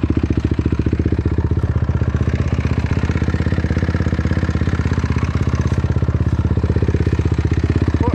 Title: honda crf250r weird engine noise